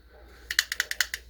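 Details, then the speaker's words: Vintage circa-1950s unbranded level-wind baitcasting reel with the spool tension knob backed off: seven quick light clicks in about half a second as the spool rocks; spool end play, which disappears when the tensioner is turned in. "so if you if you back this off you can hear the the play in the spool"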